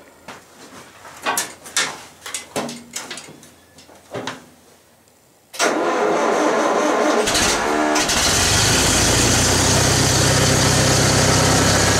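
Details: 1974 International IH 354 tractor after a no-spark fault, near-zero winter temperatures: after the condenser was replaced and the rotor and cap refitted, several slow cranking bursts, then it catches and settles into a steady, even idle with no misses. Ignition now fires properly.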